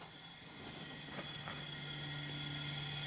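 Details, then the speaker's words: 2000 Jeep Grand Cherokee, 4.0L straight six, 186,000 miles, towed in after overheating with a cracked radiator, during leak-down test: steady airy hiss heard at the tailpipe over compressor hum; diagnosed as a blown head gasket. "But it's hissing, okay? So what that means is we have a head gasket blown."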